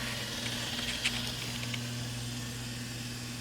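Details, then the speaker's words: Samsung convection oven on bake at 350, middle convection fan motor (part DG31-00005A) found faulty: steady low hum and drone, loud even from a distance and louder than it should be; loud convection fan motor, replaced. "starting to get a little loud we'll get right down there beside it maybe you guys can hear better some guys can hear that quite good and even from here it's quite loud"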